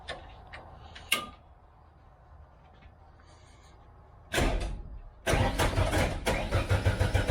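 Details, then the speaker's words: Race car started after fixing dead batteries, bad wiring and the switch: quiet, short crank, then it fires and revs into a lively, even run; normal crank and start. "There we go. That's what I like to hear."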